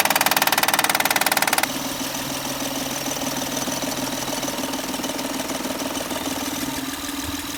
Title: 2011 Honda Accord 3.5l loud knocking noise easy fix by replacing Timing bel tensioner